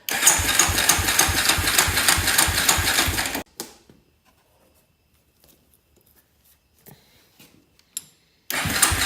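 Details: Honda 400EX before a top-end rebuild, with no airbox; its oil was found bone dry, then topped off, after which it smoked badly: a rough idle with a sharp regular tick about three per second, no smoke now. Owner suspects oil starvation; unconfirmed.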